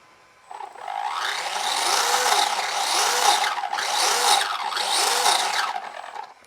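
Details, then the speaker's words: ARRMA Fury RC truck with worn-out spur gear before replacement: motor whine climbs and falls with each of four throttle pulls over a harsh gritty rasp, the sound of a spur gear going out. "So the thing to note when you hear this sound, your spur gear is going out."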